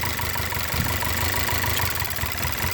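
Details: VW/Audi 2.0T turbo petrol engine idles roughly with random misfires across cylinders 1, 2 and 4 (codes P0300/P0354) and loose coil pack plug connections; the fix was PCV replacement.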